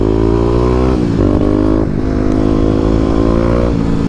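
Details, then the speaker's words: 2018 Kawasaki KLX250 before its 351cc big bore, under throttle: single-cylinder engine stumbles and dips in pitch; misfire suspected from a fouled, fuel-rich spark plug. "I'll cut to a clip right now before I even did the big bore where I was experiencing some misfires."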